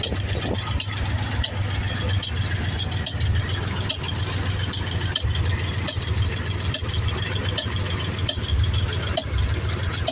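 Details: 1994 Ford F150 302 EFI V8, desmogged, about 5k on a fresh rebuild, Lunati Voodoo cam, roller rockers, headers: lumpy idle with irregular sharp pops or ticks, strongest at the air intake; owner suspects IAC valve, EFI port seal or poor fuel.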